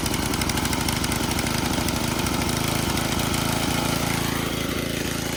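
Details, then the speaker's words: 1987 Craftsman tiller, sat 20+ years, first runs after revival, choke off, throttle wide open: the single-cylinder engine fires with a slightly lumpy, uneven beat. The owner suspects slightly too much fuel, running rich. "Okay, so throttle up, chokes off. Sounds like it might have a little too much fuel."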